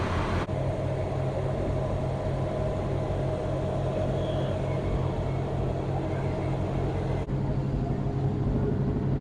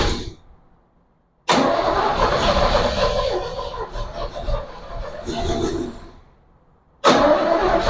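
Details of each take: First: 1967 Chevy Bel Air station wagon, sat 30+ years, now running, alternator charging about 15 V: smooth, steady low idle hum with no misses, knocks or rattles; idling healthily. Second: 1967 Chevy Bel Air wagon, sat 30+ years, carburetor fed from a bowl, fuel quality uncertain: catches with a loud burst, stumbles a few seconds, dies and is cranked again; fires but won't keep running.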